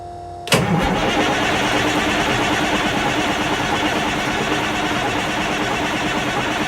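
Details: Peterbilt pulling truck diesel after installing large used custom 3406E-type injectors, in neutral: quick crank, catches at once, settles into smooth even idle with steady drone.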